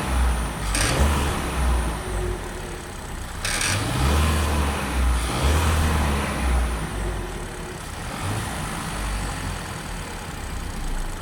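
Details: 2021 Kia Ceed 1.5 T-GDI four-cylinder turbo direct-injection petrol engine accelerating: deep drone with light uneven rattle on top, always present under acceleration, clearly heard in the cabin; dealer calls it normal, owner disagrees.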